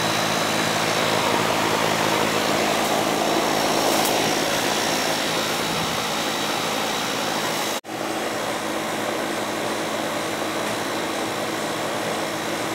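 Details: Goodman AC condenser with TXV during yearly maintenance after charge check, superheat and subcooling within 3: steady rushing fan noise with constant low hum throughout; running normally.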